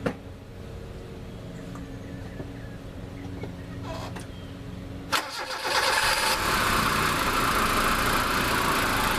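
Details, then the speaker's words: Mazda with P1345 code after sitting about 15 minutes hood closed to cool: starter cranks briefly, engine catches and settles to steady idle; owner suspects a weak cam position sensor failing when hot, not confirmed; $17 part held by one 10mm bolt. "cooling that thing off made it run again so I'm pretty well convinced that's what our problem is just has a weak cam position sensor"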